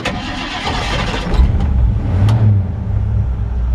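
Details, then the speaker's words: 1954 Ford F100 with Ford 302 V8 and automatic, good oil pressure: cranks briefly, catches cleanly and settles into a deep, steady rumble; normal healthy start. "drive it's got a 302 in it and good oil pressure tachometer"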